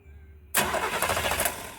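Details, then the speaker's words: 1935 Chevy during rewiring, gas pedal pumped: starter kicks in and churns over a second without catching; owner suspects no power reaching the spark plugs. Cranks, no start, cause unconfirmed. "Hang on. I'm wondering if I'm getting power to the plugs."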